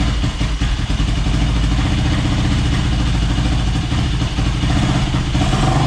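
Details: Yamaha YFZ450 (possibly 2006) ATV in rough shape, first start on a stand with a new fuel line and fuel on reserve, airbox off; single-cylinder thumping at a fairly steady idle with a little clatter, holding speed without stalling; running acceptably, still needs tuning.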